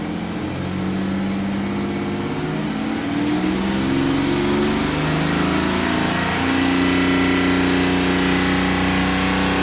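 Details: BMW N57D30 diesel at 325,000 km held at raised revs: uneven misfire-like tapping through the drone; owner unsure, possibly just a louder normal sound of this engine.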